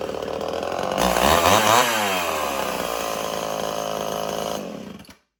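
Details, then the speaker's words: Old Homelite XL 12 two-stroke chainsaw, hard to pull when hot, revs up with wavering uneven pitch, sags and cuts out after about four seconds; owner suspects a long-stored carburetor losing pressure and loading up, possibly worn piston ring. "But I think this saw is definitely having a carburetor problem. After when the carburetor had sat for so long, the carburetor is definitely losing pressure into it. So that's the reason why it's been having idling problems, because it's been loading up all the time and it kept trying to die."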